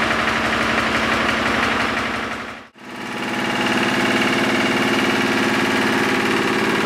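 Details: Lister diesel air compressor set at 60 psi, after a missing drain plug was refitted: steady, regular diesel beat of about three pulses a second, even loading, no knocking; normal running.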